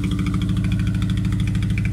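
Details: Honda Civic Type R EP3 with K&N filter and very loud exhaust, at idle: a repeating hitch, a regular stumble every few firings instead of a smooth beat, indicating a misfire.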